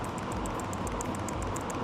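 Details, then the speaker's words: Eberspacher Airtronic D4R (AM2 new-generation) diesel heater fuel dosing pump primed from diagnostics at 7 Hz for about 30 seconds, mic held close to the pump; quick light even ticks about seven a second, very quiet, normal fuel dosing pump ticking. "I will try to put it here close to the mic so you can hear the fuel pump. And now it's primed, and you can hear it's very quiet,"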